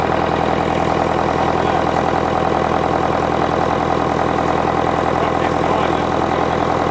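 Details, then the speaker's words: International Harvester 554 diesel tractor just started on ether after about five years sitting: steady, even idle about three and a half beats a second with intake roar; running clean, starting to smoke a bit. "it's running pretty clean starting to starting to Chum a bit out now but it's just magnificent"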